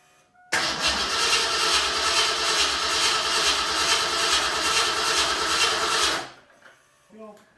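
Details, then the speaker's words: Fox Mustang test fire after a new regulator, with 30–35 psi fuel pressure and spark present: starter churns steadily at about 140 beats a minute for six seconds with no firing. Cranks but won't start; fuel smell noted and injectors found batch firing. "So we smell fuel, so there's fuel, but the weirdest thing that's happening is that the injectors are batch firing."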